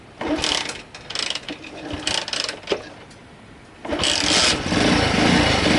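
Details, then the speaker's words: Honda C90 Cub project bike after carburetor rebuild with all rubber seals replaced, no longer leaking: small single revs up in uneven bursts then settles into a steady, clean run with no misses; runs fine, normal running. "So I've redid the carburetor, replaced all the rubber seals, that's all done now, it's not leaking, runs fine."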